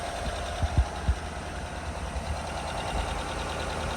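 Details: 2017 GMC Sierra, used 5.3 L83 just swapped in for a 5.3 LT with a dead no-compression number 3 cylinder: low, uneven idle stumbling with heavy thumps early on; misfire, attributed to a plug wire on the wrong post.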